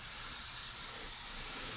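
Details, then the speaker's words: Mercedes-Benz SL500 (R230) ABC suspension purge after installing a rebuilt tandem pump, air line connected at about 10 psi: steady even high hiss; small air leak probably at the fitting, not confirmed. "We've actually got a little bit of an air leak somewhere, probably coming out of here."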